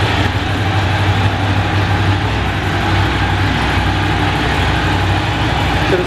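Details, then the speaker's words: Ducati 750 SS Super Sport, 750cc air and oil cooled V-twin, about 65 hp: cold start on old-fashioned choke, fast even idle with steady low thump, no knocks, ticks or misfires; normal cold idle on choke. "and obviously we've got an oldfashioned choke stroke cold start valve and off we go give that a little bit more choke"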